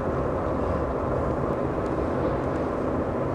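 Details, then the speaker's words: 2007 Mazda 2 1.5 L manual at about 100 km/h, left rear wheel: steady droning road roar with a coarse, rough edge and no clear knock, higher frequency and noisier than the right; a feathered rear tyre rather than a wheel bearing. "you can see that the frequency is a lot higher and of course there's a lot more noise involved not sure that i can see a consistent pattern there but i can certainly hear it"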